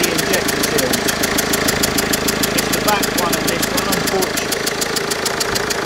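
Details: Mercedes Vito 2.1 CDI diesel, warm engine at idle, airbox removed, before repair: sharp, regular chuffing at about three per second over the idle, like a blown exhaust. A leaking injector copper seal on one cylinder.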